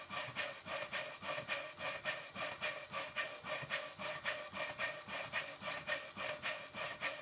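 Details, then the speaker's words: Worn 2-inch scale Fowler steam traction engine running after repacking the piston rod gland, adjusting the small end bearing and shimming the crosshead slipper; crisp, even chuffs nearly two a second, steady hiss, no knocks or clanks. Much improved compared with how it ran on arrival. "this is what the engine sounded like when it first arrived in the workshop [Music] and now it sounds like this i'm going to run it for a while to make sure nothing falls off"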